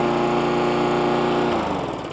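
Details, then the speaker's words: Hayter 41 lawnmower after the spark plug was tightened and the carb O-ring and clip refitted: even, steady drone, then it winds down, with no labouring. It is suspected the low tank was sucking up water. "it's actually sounding better already if you go back to the original part of the video you hear it laboring a little bit that's now running much better"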